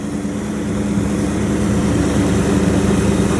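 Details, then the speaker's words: 1929 Chrysler 360 with Edelbrock AFB, after straightening bent metering rod (rich passenger side) and opening plug gaps from about 0.020 to 0.035 in: smooth, even low idle after rev, about 500 rpm higher than before, no missing. "It sounds like it's idling about 500 RPM higher than it was. So, not getting any missing out of here at all."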